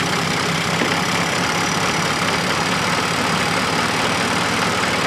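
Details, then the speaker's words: Fiat Panda 4x4 Sisley petrol engine with fuel injection issues, running very rich, easy cold start; steady idle with an uneven, slightly lumpy beat and no clean rhythm, sounds unhappy; rough idle of unclear cause. "but as you can hear it's not happy"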